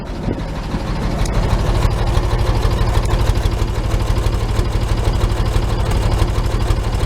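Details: 1941 Chevy at idle, listened at the muffler after the tack-welded muffler-to-pipe joint was fully welded: a quiet, even low pulse at about three beats a second. No popping from air drawn in through exhaust gaps, so the exhaust is sealed.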